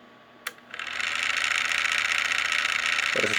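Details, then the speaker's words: Household electric fan: click, then rising airy whirr with fast buzzy rattle about four beats a second once spun up; loose, worn shaft bearing vibrating, to be lubricated with light oil. "aqui começa a girar mas olha o barulho que ele tá fazendo e aí tá simplesmente com folga folga no eixo aí tá vibrando quando"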